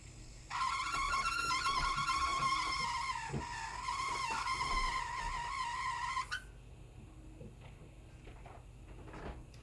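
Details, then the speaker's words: Lian Li Galahad II 360mm AIO CPU water cooler: one radiator fan makes a loud, wavering squeal near 1 kHz over its hum for about six seconds, then cuts off; replacement fan sought. "One of my fans on my all-in-one water cooling system, my Leon Lee all-in-one water cooling system, is making a horrible squeaking noise and it's very annoying."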